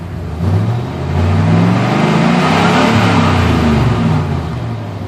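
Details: 7.4L Vortec V8 that keeps dying: uneven revving at half throttle, the low rumble wavering and stumbling instead of climbing smoothly, with a little shudder as it comes down; random misfire, cause not yet found.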